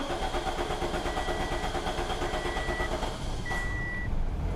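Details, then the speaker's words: 2007 Pontiac Vibe, first start after replacing the fuel pump assembly: steady rhythmic cranking for a while until the new pump primes the fuel line, then the engine catches and runs with no leaks. Extended crank before start. "there she goes yep she just had to Pump Fuel Up still trying to get fuel up there there she's going"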